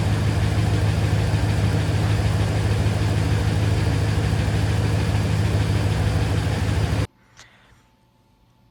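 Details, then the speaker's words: Dodge Ram 1500 5.7L HEMI V8 at start-up idle: steady rumble with a quick faint tick about three per second; the HEMI tick, normally from lifters starting to fail, often due to lack of lubrication or low oil. "So if you've got a 5.7, you know what a HEMI Tick is. HEMI ticks are when you are turning on the engine and you hear that tick, tick, tick, tick, tick, tick, tick, tick, tick, tick, tick."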